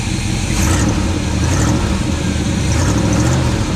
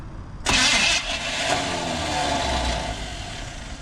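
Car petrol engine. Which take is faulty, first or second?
second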